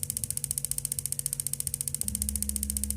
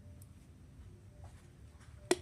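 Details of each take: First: Paloma gas water heater with its gas valve tested after repair: rapid steady ticking under a low hum for about 8 seconds with no flame, then a sharp clack as the solenoid releases. The valve holds and releases normally. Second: Paloma LPG gas water heater, flame not lighting: in a quiet room one sharp snap as the gas valve solenoid releases before the lower microswitch lifts and gets current, so gas never reaches the burner.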